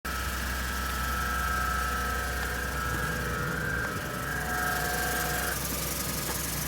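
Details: 2013 Ford EcoBoost truck with 86k miles, idling: a low, steady rumble with a faint loose tick and a thin whining growl that comes and goes. It began after a small coolant leak, and the cause is unknown.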